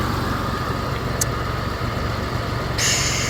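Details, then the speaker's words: Mitsubishi 3000GT VR4 after a fuel pump hotwire install, idling a little high with a steady airy hiss; a vacuum leak is suspected, possibly the intake-to-valve-cover hose or a small vacuum line, not confirmed. "a fucking leak, air leak, vacuum leak. There we go. I have a vacuum leak."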